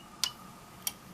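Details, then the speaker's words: Heathkit IM-2212 auto-ranging DMM on DC milliamps, reading a 4-20 mA loop transmitter powered at 24 V; switching to 20 mA, two crisp range-relay clicks about two-thirds of a second apart over quiet hum; normal autoranging relays. "auto arranged and it went to 20. you can hear relays clicking things in there that's part of the auto ranging circuitry"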